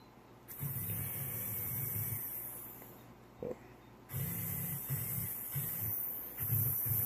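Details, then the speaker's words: Cheap 3 V RC-car motor, rebuilt about three times after burnouts, run at 17 V and 1 A: low labouring hum in stop-start bursts, never reaching speed; owner suspects it is dying from gummed-up internals. "think this motor is dying again. Let's rebuild it, clean everything out on the inside. The problem is everything just gets all gummed up on the inside of it."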